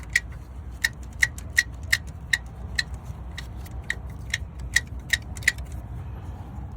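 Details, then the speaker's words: 2007 Lexus LS460 V8, about 150,000 miles, at cold start or restart after parking: sharp uneven metallic clicks over low idle, timing chain slapping; secondary chain tensioner not working, tensioners and guides to be replaced. "Got a problem with timing chain noise on cold start, and after you've been driving and you park it for a little bit, you come back out and turn it back on, engine starts clapping that chain."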